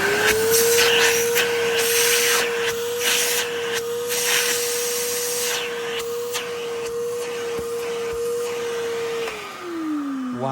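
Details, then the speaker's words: 1980s Hitachi 790 (1300 Powerhouse) bagless cylinder vacuum, refurbished: steady, even motor whine at one pitch with strong airflow hiss, then smooth spin-down; powerful suction, passes the "chicken test". Normal running. "that is really powerful um let's give it a chicken test chicken the head test"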